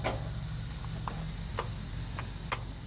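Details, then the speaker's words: Ford tractor with a bad starter solenoid: sharp single clicks about once a second with no cranking, because the solenoid isn't making contact. It is later bypassed with a jumper cable to the starter. "It's clicking, but it's not making contact to start the tractor."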